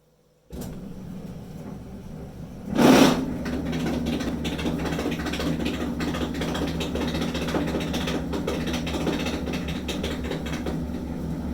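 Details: Maytag Dependable Care Quiet Plus II dryer, model LDE9806ACE, running with loud metallic rattling and squealing like bolts shaken in a can: worn blower wheel spinning freely on the motor shaft, repaired by owner.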